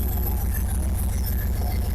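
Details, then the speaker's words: Ford F100 old truck after heater hose and heater core replacement, cold start with a little choke and a couple of gas pumps: steady low even rumble at slightly raised idle, running fine. "Give her a little bit of choke, a couple pumps of the gas. Choked up and running."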